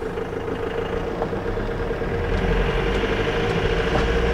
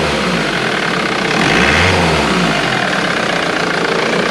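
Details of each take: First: Ford VH Transit diesel, hot day, idling with loud harsh knock about four times a second, power loss, code P0149; suspected faulty pump timing solenoid not advancing injection timing. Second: Ford VH Transit diesel van after its pump timing solenoid was replaced, which had caused a loud diesel knock, power loss and code P0149: it starts, idles and revs briefly with no rattle or smoke; normal diesel idle.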